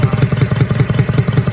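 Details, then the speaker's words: Partially disassembled, previously locked-up International Harvester B414 tractor engine, head reinstalled, block getting slightly warm: sharp pops at about five a second in time with the idle, blowing back out the intake; valves need readjusting. Coolant was later found leaking into the oil pan. "Say I'm kind of sad to tear it apart because see how bad it pops out of the intake."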